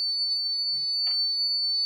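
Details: Kent RO water purifier: piercing, unbroken high-pitched warning beep with nothing else running; cause suspected, not confirmed.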